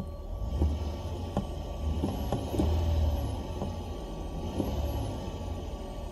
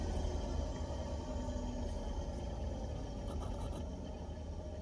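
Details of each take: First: Car stereo after adding a 4-channel amp to aftermarket speakers. A thin, very high whine and hiss from the speaker climbs and falls with engine revs. Alternator noise from a poor ground or ground loop. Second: Car audio with aftermarket speakers and added 4-channel amplifier, previously hissing and static; with wire pressed against the head unit the speakers are silent, only a low cabin rumble remains.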